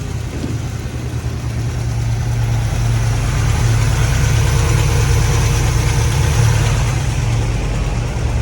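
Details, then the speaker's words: 1950 GMC on S10 frame, V8 on solid mounts with open headers, ignition timing not yet set by ear and running a little hot: deep, loud uneven loping idle that feels rough and lazy; carburetor may be off, cause not pinned down. "it's going to feel a little rougher just because of solid mounts you know yeah it's a little lazy"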